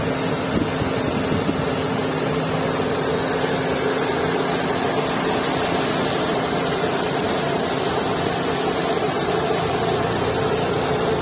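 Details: Maruti Suzuki Swift 2022 at idle: loud, coarse droning hum with constant rough vibration throughout; abnormally heavy engine noise, cause unclear.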